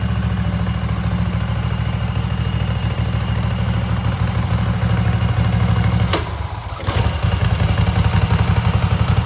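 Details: Cub Cadet garden tractor twin with new spark plugs and an uncleaned carburetor, choke frozen; has a gas leak. A deep, steady thrum with one brief dip near six seconds, then an even, smooth run.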